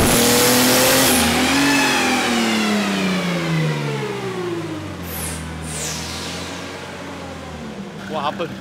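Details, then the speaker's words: 27-year-old Mercedes OM606 diesel after cracked-block repair, on dyno, near operating temperature, bigger supercharger pulley fitted: revs up and settles with deep even drone, no whine on top; normal running. "I've put on the bigger supercharger pulley as you can hear it's running but it's not whining"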